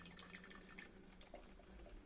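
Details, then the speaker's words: Electrolux coffee maker that would not heat or draw water, after replacing the burnt heating element: quiet gurgling and dripping as water is pulled through and heats, brewing normally again. "Opa aí já fez um barulhinho e vamos ver se vai cair e vê se vai esquentar também né"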